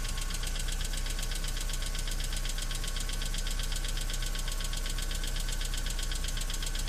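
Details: BMW E46 318i 118hp cold idle: steady fast ticking rattle over a low drone that sometimes stops and returns for a while after revving. Fixed by replacing the hydraulic lifters: hydraulic lifter tick.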